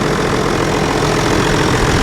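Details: John Deere 7420 idling after Stanadyne DE10 injection pump replacement for ECU 1076 fault code, checking for leaks: steady, even diesel idle with smooth low drone, no knocks, misses or hunting; normal idle, one high-pressure line leak found.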